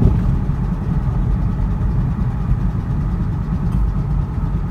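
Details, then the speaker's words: Ford Mustang misfiring: a loud, lumpy engine with an uneven low rumble and stumbling beats instead of a smooth hum, with a strong fuel smell and a large loss of power after it misfired while accelerating. "I'm over here super loud and misfiring so much oh my god guys just when I thought my car was good it frickin turns out bad"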